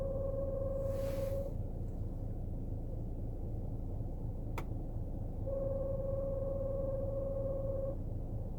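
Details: BMW Z4 E89 while driving: steady low drone with a clear pure tone coming and going over road rumble, source unidentified; rear humming noise.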